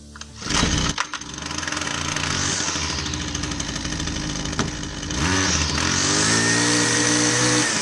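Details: Husqvarna 122C string trimmer after ignition module swap (previously wouldn't start): small two-stroke catches, idles, then revs to a high steady buzz and holds it cleanly; running properly.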